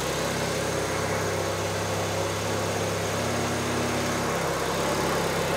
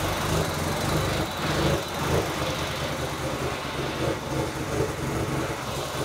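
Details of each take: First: Honda Civic D16 turbo, first start after new turbo kit installation, cold start needing work: loud, slightly lumpy idle with heavy droning exhaust and no clear misfire, running very rich before fuel was taken out. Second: Honda Civic D16 engine with a new turbo kit, first start on E85 fuel; it catches and settles into a steady, slightly lumpy cold idle without stalling or misfire, a healthy cold start.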